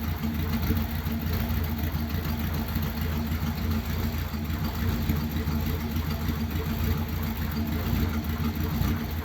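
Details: Ford Thunderbird, not run for ages and untouched before first start, no choke: cold engine holds a steady low idle with a faintly uneven, loping beat, a little rough.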